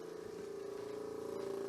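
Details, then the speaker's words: Nissan S12 200SX low-compression engine, idling after sitting since yesterday: steady mid-pitched buzz with fast even pulse from the electronic supplementary vacuum pump for cruise control, running continuously without shutting off; cause suspected, not confirmed. "come up here so you hear that noise that it's making that is an electronic vacuum pump that this car has as a supplementary source of vacuum probably because this engine's so low compression that they worried it wouldn't have enough vacuum at idle"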